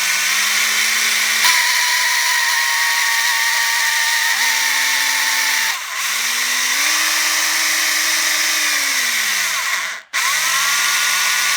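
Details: Four-month-old Parkside PABH 20-Li B2 cordless hammer drill; motor whine climbs and drops in pitch with each trigger pull with an odd rough, strange note creeping in, heard at several points; cause not evident.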